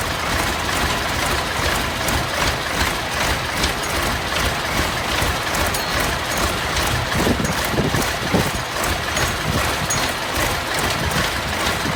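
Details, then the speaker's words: Massey Ferguson 1155 tractor diesel, previously seized engine, first start after fuel pumped to filters: steady, even idle chug with no knocks or misses, good oil pressure; engine running normally. "That thing just sounds like it's ready to get don't sound too bad. I got good oil pressure."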